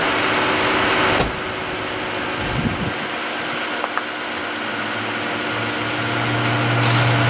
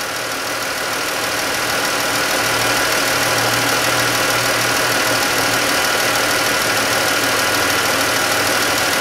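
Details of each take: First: 2013-type Chrysler 3.6 Pentastar V6 after replacing the worn roller rockers and a collapsed lifter: a smooth, even idle with no ticking. The tick is gone, no codes are set, and it idles quieter. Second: 2013-type Chrysler 3.6 Pentastar at idle, heard via mechanic's stethoscope: light sharp tick about three times a second over steady idle, loud on one side; valvetrain tick attributed to failed roller rocker, before rocker and lifter replacement.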